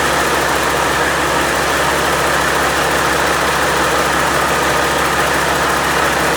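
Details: Freshly overhauled Caterpillar C-15 diesel on its first start: a steady, even clatter at a settled idle with no knocks or misses; good oil pressure, no vibrations or nasty noises.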